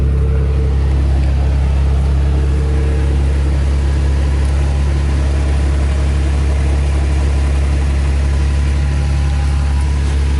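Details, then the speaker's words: 2nd-gen Toyota Tacoma after an exhaust leak and rattle repair with spacers fitted on both sides, not yet warmed up: steady, deep idle with an even exhaust note and no ticking or puffing; leak sealed. "okay well i'm hearing no exhaust leak i don't feel any of the air uh hitting me in the face of the arm like i did the other day when i first uh noticed it so it definitely sealed it up good"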